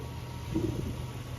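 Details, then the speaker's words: Toyota Land Cruiser, 2UR engine, which ran out of petrol then cranked but wouldn't start, after replacing the EFI relay: short quiet steady low rumble at idle, no misses or knocks; running normally, ABS and check-engine lights cleared. "Change करने के बाद गाड़ी बिल्कुल ओके हो गई है।"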